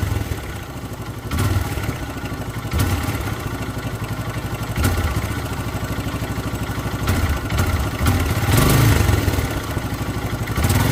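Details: Hero Karizma R motorcycle engine: uneven clattering rattle over the idle that swells as the throttle is blipped; abnormal engine noise, cause not identified.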